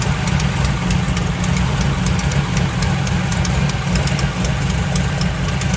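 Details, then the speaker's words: Turbocharged V8 truck not started in a while, 88°F shop, not a cold start: sharp, fast ticking puffs in time with firing over a lumpy idle, from a remaining exhaust header leak on the driver's side. "I don't know if y'all noticed when I fired it up earlier we still had a header leak"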